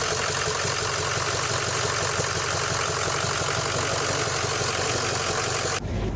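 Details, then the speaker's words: 2005 Ford F250 6.0L diesel after starter replacement: steady, even idle clatter with no stumble or misfire, running cleanly. The crank no-start was from a weak starter; the old one had only one of three mounting bolts in. Normal idle. "the RPMs were hit 180 and it started right up so that was definitely our issue is just a weak starter"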